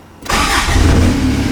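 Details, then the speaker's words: TDI-swapped Toyota truck, cold start after sitting overnight following injection pump head seal replacement for a leak; brief crank, catches at once, settles to a steady, even diesel idle; no lost prime, normal start and idle. "Hey, there we go. Fired right up. So we still need to take it out for a drive, make sure there's no leaks."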